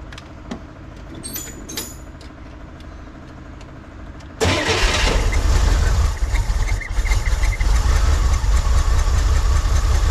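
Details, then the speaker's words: 1963 Corvair engine after rocker adjustment, carb resync from scratch and timing check: catches and runs high and uneven with dips; one choke goes wide open while the other stays closed, unsynchronized chokes upsetting idle. "so this is my problem I can't get these chokes sink if I control this one with my hand I can get it to keep running but if I let go it goes wide open on this side and this side is still uh managing choke"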